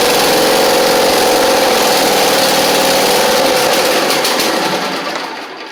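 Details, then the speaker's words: Husqvarna Z4822 zero-turn mower twin, choke stuck, running without choke: lumpy uneven beat, sags and dies away; right cylinder seems not firing, owner suspects right-side carb needing jets cleaned, unconfirmed. "Does not feel like the right side is firing though, so we may have a little bit of a carb issue on the right side. They just need a good clean of the jets."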